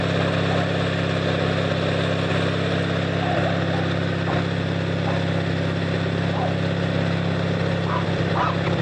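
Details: Noma 18HP riding tractor started by bumping the solenoid with pliers after battery charge; steady even engine thump at settled idle, no misses or knocks, running fine.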